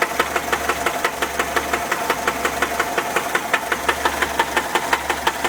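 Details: 1979 Volkswagen Type 4 engine at idle: sharp regular knocks, about three per second, clearly above a quiet idle; cause unknown.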